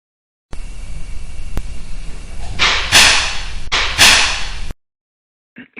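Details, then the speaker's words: Building noise: a steel structural beam shifting with temperature produces irregular sharp crackling with a couple of louder pops in a quiet room. It is a crackle, distinct from a pop-type noise. "you should be able to hear a distinct difference in the type of sound one is more of a pop and this one is more of a kind of a crackle"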